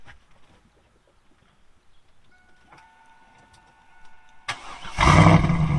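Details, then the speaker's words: 6-speed Camaro SS V8 with 40k miles that sat 10 years, treated with Seafoam. A short whirr, then the engine catches and settles into a loud, even rumble; it sounds great, with Seafoam still burning through. Normal cold start. "let's see here i'll start it up for you sounds great"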